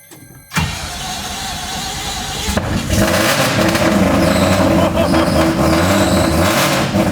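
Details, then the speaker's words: Volvo with a Mazda 3-rotor engine, after the new 4-inch exhaust replaced restrictive oval tubing. Fires up into a deep, smooth burble with less rasp than before, running evenly as it settles and picks up. Normal exhaust note. "Having changed that little oval section where there was a bit of a pinch point in the system, it's definitely lost a bit of the raspiness, a bit deeper now, so somewhere it sounds a bit somewhere in between what it used to sound like and the Corvette sounds like."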